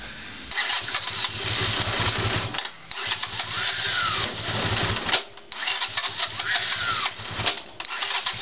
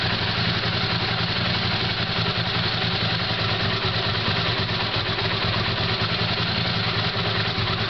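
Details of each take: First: Honda CX500 cranking after carburetor installation. Bursts of high screaming from the starter motor, not the engine, with heavy clunks as the engine kicks back because ignition is poor. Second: Honda CX500 V-twin after carburetor installation, new thermostat with slight vibration in its housing: slow, even idle with a steady loping beat and light mechanical clatter, nothing missing; normal idle.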